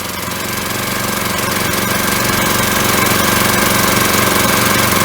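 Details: Briggs & Stratton engine (1978 per code number, size unknown) on an auction-bought hydraulic rescue pump, primed with a little gas: even, regular chuffing at about four beats a second, steadying as it picks up; little smoky, probably hasn't run in a while; normal running.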